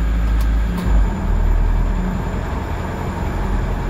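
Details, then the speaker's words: 2002 Kia Visto with an unstable RPM: the idle hum dips briefly, then stays high and won't drop. The owner suspects a dirty idle speed control (ISC) valve and plans to clean it. "Nah bunyi mesin itu tidak turun idle tidak turun selalu tinggi seperti ini seperti itu teman-teman"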